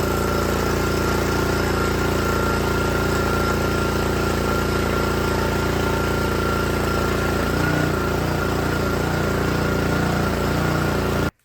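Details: Troy-Bilt log splitter with small Honda engine driving the hydraulic pump, after backing out the pressure adjustment: steady drone with faint thin whine under pump load, no stumbling or dying; running right.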